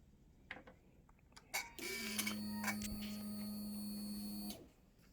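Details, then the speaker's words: Suzuki GSX-R1000 K8 with an FI fault that won't rev past 2,500 rpm: after switch-off, a steady electric whir holds one pitch for about three seconds, then stops. Owner suspects an electrical or wiring problem; source unknown. "Just because it's making strange noise when you turn it off. Maybe you can hear that."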